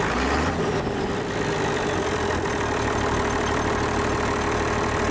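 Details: International DT466 diesel, first start in 8 years after freeing a stuck fuel shutoff; steady, even idle with a smooth low rumble and no misses, knocks or hunting, running fine.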